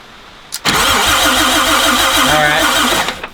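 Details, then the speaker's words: Long-stored Toyota FJ40 Land Cruiser with points ignition: starter cranks about 2.5 seconds but engine won't start; rotor looked fine, coil ruled out, bad condenser suspected. "nothing I wonder if we have yeah it is I wonder if we have a bad condenser don't ask me what that does"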